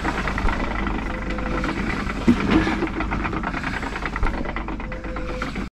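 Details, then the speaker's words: Ford PX Ranger with about 118,000 km, wheel spun by hand in park: uneven mechanical clatter and rumble from the driveline; cause found to be damaged rear difflock actuator wires leaving the diff lock engaged. "just before I turn the camera on I spun this wheel and I’ll do it again now it's not meant to sound like that is it"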